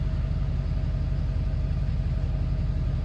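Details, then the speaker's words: 2011 Ford F350 6.7 diesel, started after oil, oil filter and both fuel filter change: steady low diesel rumble with even regular beat at idle, no knocks or ticks, no warning lights, oil pressure fine; normal idle. "starter up looks like everything's good go through all my warnings yes good job"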